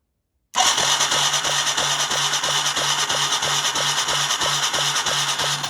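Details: Yamaha 225DR Tri-Moto three-wheeler under restoration, on the lift: steady starter cranking at about three strokes a second, even and unloaded with the spark plug out, nice blue spark shown; engine spins over fine.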